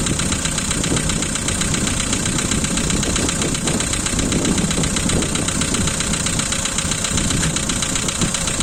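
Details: 2012 Volkswagen Polo 1.6 CFNA engine, cold start: fast, light ticking about four per second over the engine hum at cold idle; hydraulic lifter clatter on cold start.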